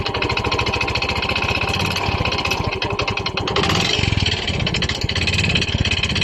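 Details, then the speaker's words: Yamaha Mio i 125 with sudden engine noise; hard, rapid knocking following the revs while blipped and idling; piston slap or connecting rod suspected, as both sound alike, confirmed only by teardown. "Sa tingin niyo guys saan kaya nanggagaling ang malaking ingay ng kanyang makina kasi magkapareho lang po ang tunog ng piston slap at saka connecting rod"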